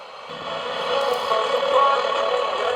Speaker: Okay, that works. Not as good a reception as the other two, but at least the volume's not crackly.